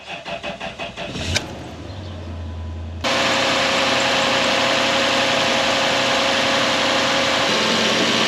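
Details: 2013 Toyota Hilux with 3UZ V8 swap, fuel pump temporarily powered from the cigarette lighter bypassing factory wiring: even cranking about four beats a second, short hum, catches cleanly into steady idle; starts fine.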